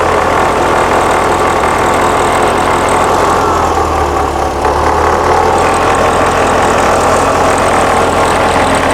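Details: 1979 VW Super Beetle, fuel-injected, at warm idle before timing-light check: steady engine under a constant high hiss; a vacuum leak is suspected, source unconfirmed, fan also heard.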